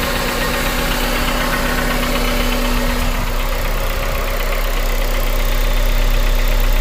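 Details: 2001 Honda Civic DX with swapped JDM K20A (PNA, Integra iS), ~7k miles since swap, at steady idle: light, even knock about four per second over the engine note and injector tick, present since day one, louder when cold; cause unknown.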